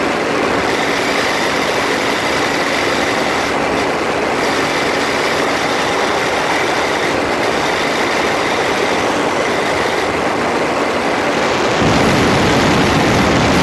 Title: Freelander 2 Grinding noise, phone is taped close to front differential